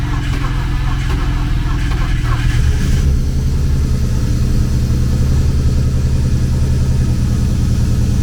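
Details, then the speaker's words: BMW E36 convertible six, first start on a jump box after cylinder head replacement: it catches and settles into an even idle with no knocks or misses, sounding like all six cylinders are firing. Check engine light still on. "But as far as everything else, it sounds like it has 6 cylinders."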